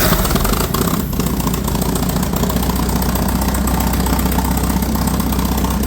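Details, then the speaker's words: Ford 960 tractor after a service: deep, even idle thrum with no knocks or misses; it starts easily, holds about 35 psi of oil pressure at idle and is charging, so it runs smoothly. "Seems like it starts pretty easy. Runs pretty good."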